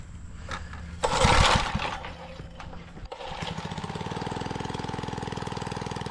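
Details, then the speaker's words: Small single-cylinder edger engine after carburetor adjustment-screw tweaks: pull-start catches, then an uneven popping idle at about three beats a second; runs rough, likely needs more mixture screw adjustment. "Doesn't sound like it's running the best, but I probably got to mess with some of those screws."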